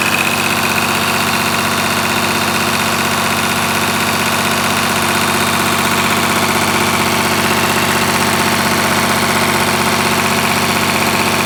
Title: EH700T exhaust leak